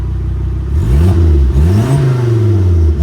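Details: Volvo 740 Turbo, 174,000 miles, IPD exhaust, new front struts, PCV done, timing belt not yet done: deep, smooth exhaust drone swelling through quick revs and settling evenly; healthy, great-sounding exhaust.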